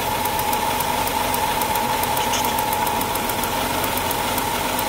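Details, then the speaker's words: Chrysler engine after a coolant leak: idle with sharp, uneven high ticks of three to four a second, a misfire blamed on a bad, arcing ignition coil rather than overheating. "it's got a bad coil you hear it that's a bad coil so this thing's misfiring and it's not because of an overheat that's a bad coil"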